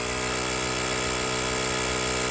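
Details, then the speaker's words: Gooloo A5 jump starter/tire inflator running under load on a tire: a fast, buzzy, steady compressor drone with a high whine on top and no knocks, ramping up as pressure rises from 30 toward 36 psi; it is pumping normally. "You hear that thing? It's got some power to it, I'm telling you."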